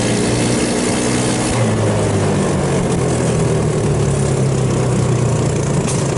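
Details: 150cc GY6 Hammerhead off-road go-kart after a carburetor rebuild that cleared water and jelly-like fuel contamination: steady, even drone holding its pitch without stumbling or surging. Normal idle.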